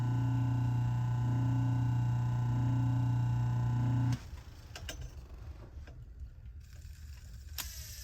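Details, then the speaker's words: Restored 100-year-old Century electric motor, rewired, starting up: a steady low hum with a wavering upper tone. It starts on the brushes, which are then pushed away so it runs on induction alone, and it slows slightly when the brushes touch. The run-up is normal. "So you'll hear it has a tremendously cool sound to start up."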